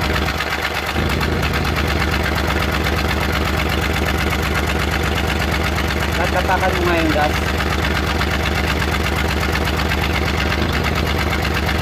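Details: Suzuki Multicab F6A small three-cylinder at idle: uneven, lumpy idle with irregular stumbles breaking the firing rhythm, a random misfire being troubleshot, cause not yet confirmed.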